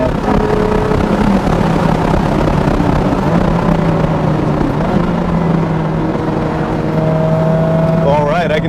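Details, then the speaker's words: Ferrari F430 V8 at steady road speed after replacing the factory platinum plugs with iridium plugs to cure a light misfire: smooth, even drone with no skips after about 30 minutes of cruising, normal running. "you from firsthand experience that sounds very good music to my ears well i've been cruising the f430 for around 30 minutes now it hasn't skipped the beat so in my opinion everything is locked down"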